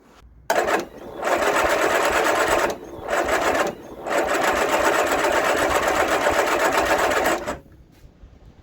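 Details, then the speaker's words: 1975 Vauxhall Viva after fitting electronic ignition and setting timing: repeated whirring starter bursts, engine turns over but never catches despite spark and fuel poured in; owner suspects timing, also possibly sticking starter. "it's getting spark but even when I pulled full food poured fuel down our neck she's not starting so could that be a timing issue"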